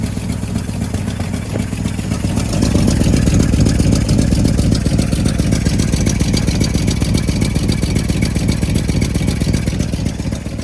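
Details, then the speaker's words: 1963 Chevy C10, old Stovebolt straight six with two dead cylinders, running on Marvel Mystery Oil. Idle with a rapid puffing tick over the low rumble, swelling as revs rise. Exhaust leak at rusty, loose bolts, fixed with stainless bolts. "So I'm going to turn the engine on and see if I can find where that's coming from. Okay, we totally have an exhaust leak."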